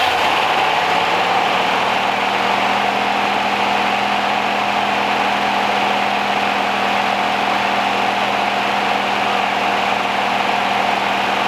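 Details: 1969 Rover P6 Series 1 3500 V8 automatic, first start after 16 years stored, on choke, fuel pump suspected dead: settles quickly to a smooth, even idle with no tapping, rattling or valvetrain clatter; quiet, tight, healthy engine.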